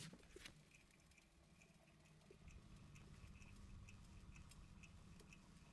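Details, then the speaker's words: BMW 318i wheel hub spun by hand after wheel bearing replacement: quiet, only faint light ticking from pads on rotor, no rough rolling growl, a normal healthy bearing. "I hardly hear anything no rough Rowling sound"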